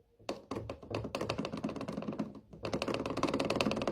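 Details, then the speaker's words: Washing machine drum rocked by hand gives rapid, uneven clattering knocks from worn shock absorbers, over 11 years old, which also make noise as spin speed builds; they need replacing. "Слышите, да? Вот они изношены. У меня тоже они изношены. И отсюда звук идёт с этой стороны."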